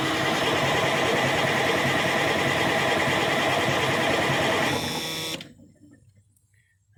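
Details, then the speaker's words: 1987 Kenworth T600 3406B diesel, sat 20+ years: steady fast cranking with no start and only minimal fuel, probably just what was in the filter; the fuel system needs better priming. "yeah we just have just a very minimal amount of fuel here so we're probably just uh getting what's in that filter so we're going to have to prime the system a little better"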